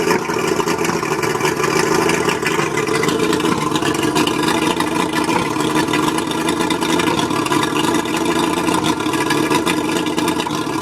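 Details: Mercury 135 outboard running rough at idle: uneven, stumbling beat and irregular stutters in the exhaust note. Spark plugs suspected, not confirmed.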